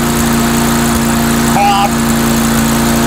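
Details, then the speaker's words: Mastercraft 3-in-1 mower with a replacement engine, old unit, RPM raised a little on test run: steady even firing beat without misfires or hunting; running acceptably, owner suspects the carburetor. "it's not running too bad I figure you know what what the heck it's an old unit that's um it's probably the carburetor maybe running to R you know"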